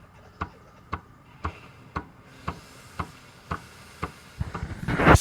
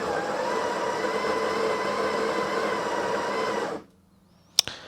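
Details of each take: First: Breville 870XL espresso machine, steam wand test, microphone placed at the pump: weak, uneven pulsing about twice a second instead of a steady buzz, insufficient steam; weak vibratory pump likely needs replacing. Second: Breville 870XL espresso machine grinder: steady even motor whine for about four seconds, then clean shut-off click; grinder healthy, though the water pump is weak and recommended for replacement: normal grinder operation.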